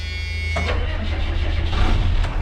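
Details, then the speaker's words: Freightliner/Thomas school bus with 24-valve Cummins diesel, first start after a long cold winter on half a tank of fuel: brief crank, then it fires at once into a steady, gruff diesel clatter with no hunting; oil pressure good, charging at 14–15. "Fire right up. She Half did a fire right tank of up. fuel. Just like it didn't care."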